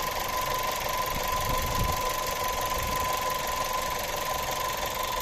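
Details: Skoda Octavia A7 1.4 TSI 150 hp, 150,000 km: thin, constant whistle steadily above the even engine hum; turbocharger whistling.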